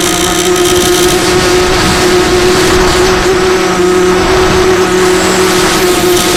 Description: Sound in background is what a shelled out bearing sounds like on a sunny sky 2204.